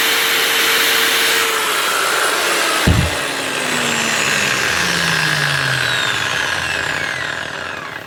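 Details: Makita GA9040S angle grinder after replacing a failed top armature bearing and washing debris from the gear head: high clean steady spinning whine, then smooth falling pitch on coast-down; no grinding or rattle, normal running.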